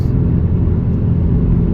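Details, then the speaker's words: 2004 Buick Rendezvous at about 60 mph, riding smooth with no suspension noise; deep, steady rumbling drone without road rhythm, a worn wheel bearing growl. "Other than that wheel bearing noise, I don't hear any suspension noise. It's riding smooth."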